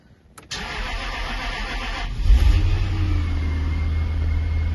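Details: Jaguar XK8 V8, first start since 2015 on 7-year-old petrol, cold weather, new oil, new fuel pump, system bled, relay refitted: starter whirs briefly, then catches and settles into steady even idle with oil pressure, no knocks or misses.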